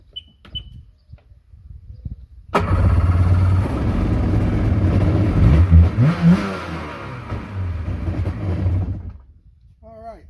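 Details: Sea-Doo jet ski two-stroke that sat 3 years, new battery fitted, started before new spark plugs; fires at once, revs briefly, then settles into an even, burbling idle, starts and runs fine.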